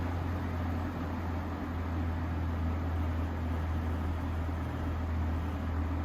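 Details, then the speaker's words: Vintage Air King PL20P two-speed box fan with dusty GE export motor, 2.7 amps, on high speed: smooth constant low hum with soft airy rush, no wobble, rattle or scraping; quiet, well-balanced normal running. "nice and quiet and powerful seems to be very well balanced"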